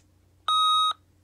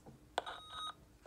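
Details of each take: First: Opus T1 volume control after cleaning with WD-40 spray: one clean, steady beep of about half a second with no crackle or scratch, where it crackled as soon as it was turned on before cleaning; much improved. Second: Opus T1 radio volume knob turning: scratchy crackle bursts through the speaker between beeps, worse with squelch on; dirty switch not yet fully cleaned with WD-40.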